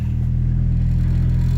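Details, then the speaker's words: Honda left outside for several days, ice cold on the gauge: the starter strains and kicks back during cranking before it starts. The owner says the timing is not off and suspects a bad starter, a sticking injector or flooding; the cause is unconfirmed. "I let it sit very tried to starting it and uh it's kicking back with the timings off I know the time's not off but anyway so it's ice cold"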